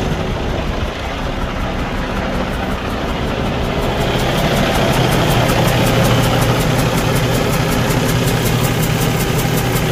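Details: 2015 Cummins ISX15 diesel with a broken cylinder head, running: deep, slightly uneven idle with a faint background hiss; hissing from the exhaust or intake area and unstable firing indicate compression leaking through the cracked head.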